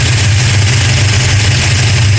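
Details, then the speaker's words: 1969 Dodge Charger 440 V8 after re-torquing loose exhaust header bolts (#2 very loose, #4 slightly) and intake bolts: deep even idle, no loud snapping or banging from exhaust side; loose headers suspected cause. "If it was loose exhaust headers, that's a lesson learned for sure. I wouldn't have thought it would have made that large, loud snapping noise, but so far so good."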